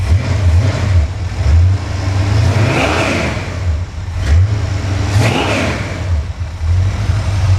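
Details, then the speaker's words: Engine from the truck Creampuff on a test stand while being revved: one exhaust pipe blew off. Loud, raw, deep blat that swells with each rev and has no muffling on one side; an exhaust leak from the blown-off pipe. "Watch that tack. We just blew one of our exhaust pipes off."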